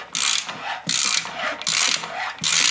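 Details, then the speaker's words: Hand-reaming new wrist pin bushes on a Harley-Davidson Panhead connecting rod, oiled, with a somewhat dull reamer: four rhythmic gritty rasping strokes with pauses between turns; reamer cutting normally toward pin size. "so that is the ream cutting and all we're going to do is just going to keep going the same direction until this Reams the whole way through"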